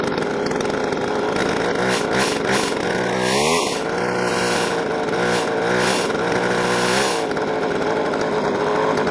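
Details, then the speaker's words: Jonsered 520SP chainsaw, just reassembled after an engine teardown to replace the oil line, all filters, gaskets and hoses; the fuel line is too loose: a buzzy, slightly uneven two-stroke revving. The owner suspects the carburetor needs adjustment. "We got the chainsaw back together with the oil line installed. We still have a couple of things to do. It sounds like the carburetor may need some adjustment."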